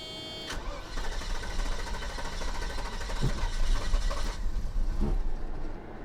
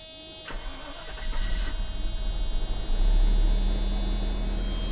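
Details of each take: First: 1990 Mercedes 560SEC after new spark plugs fitted: cranks and catches, then runs lumpy and uneven with sharp pops; misfiring and backfiring because two spark plug wires were switched out of order. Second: 1990 Mercedes 560SEC with new spark plugs and swapped plug wires corrected, started without air cleaner: brief cranking, catches within seconds, settles into smooth, even idle with no misfire; clean start.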